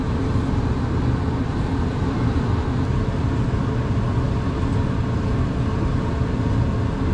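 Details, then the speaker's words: Whirlpool electric dryer after a teardown, clean-out and repair for a no-heat complaint, with the chute refitted. Steady low drum rumble and even motor hum with no squeaks or scraping; it cycles off properly, normal operation. "Sounds pretty good, no squeaks."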